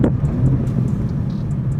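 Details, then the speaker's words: Mark 6 VW GTI after replacing coil packs and spark plugs to fix a misfire, driving to the gas station: steady, even engine rumble with no stumbling or misses; normal running. "Doesn't sound any different. Doesn't sound weird. We're doing pretty good."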